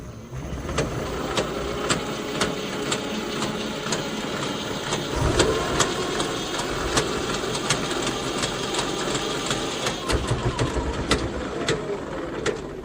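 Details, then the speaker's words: Electric tricycle with both rear wheels lifted, under throttle: sharp regular clacks about twice a second over steady motor whir, a gearbox clank still very obvious; later cured by adding two bottles of gear oil. "两边轮胎架起这种声音还有啊，这种异响还是特别明显。"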